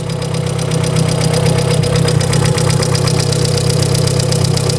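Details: VW Polo 1.6 EA111 8-valve at cold first start: steady idle with sharp even ticking about four times a second from worn hydraulic lifters, suspected exhaust manifold leak; all eight lifters being replaced.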